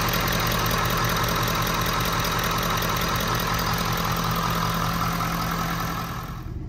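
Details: 6.7 Powerstroke diesel, first run after a complete CP4 fuel system replacement and priming: steady, even diesel clatter with a constant low drone, no misses or knocks, settling before shutoff. Normal healthy idle.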